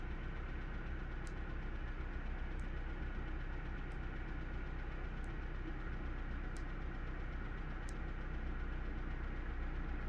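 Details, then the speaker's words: 1998 Honda CR-V at idle with a planted fault and random-misfire code: steady low idle with uneven lumpy beat stumbling a couple of times a second; dead misfire isolated to one cylinder, fuel or ignition cause not yet determined. "we know we've got a misfire seems like a pretty dead misfire meaning that it's really isolated within one cylinder"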